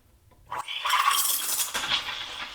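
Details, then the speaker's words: Gaggia Classic Pro steam wand frothing milk in jug: sharp hiss rising to strong steady steam roar with gurgle as milk spins nicely; normal full-pressure steaming. "there we go start spinning you can see how it's spinning nicely"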